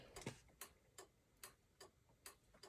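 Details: 1995 Chevrolet Impala SS after an LED taillight conversion with resistors and a new flasher: crisp, regular clicks about every 0.4 seconds in a quiet cabin, with the headlights on. The flasher cycles at a healthy, even rate under load.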